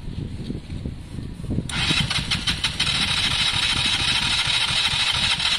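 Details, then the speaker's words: KSR Moto motorcycle after valve adjustment, cranking with fresh fuel and starting spray on a weak battery: the starter churns unevenly with ragged firing bursts that nearly catch but never run on. Crank, no start; weak battery suspected. "sounds exactly how it is like it kind of wants to it was close there"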